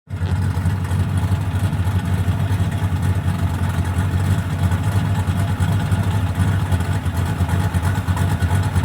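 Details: V8 with Comp Cams XR270HR camshaft: loud lumpy idle with a heavy, uneven low thump about three times a second; owner suspects rod knock, unconfirmed.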